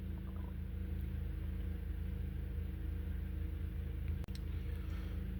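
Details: 2012 Honda Accord 2.4L, warm engine, idling with an uneven loping pulse; misfire on cylinders 2 and 3 (codes P0302, P0303), check engine light sometimes flashing.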